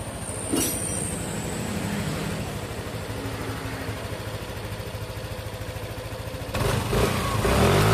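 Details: Yamaha NMAX scooter at idle after repair of a rough engine noise diagnosed as a faulty rocker arm: an even, soft pulse at about three beats a second with no rough clatter. Normal idle.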